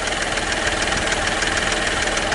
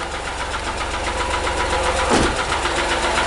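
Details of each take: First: Hyundai Matrix 1.5 CRDI diesel idling after hydraulic lifter replacement. Steady, quiet, even diesel clatter with no distinct knock. Normal idle after repair. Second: Hyundai Matrix 1.5 CRDI diesel idling right after new hydraulic lifters were fitted: a steady metallic ticking about four per second over the idle while the lifters are still bleeding and filling with oil.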